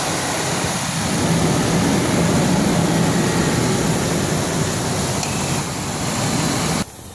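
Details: Ford Explorer that is overheating, with a burn mark on the centre of the hood and fresh wet spots underneath. A steady hiss of steam rides over the running engine. The thermostat and housing were later replaced; a timing chain noise is also suspected.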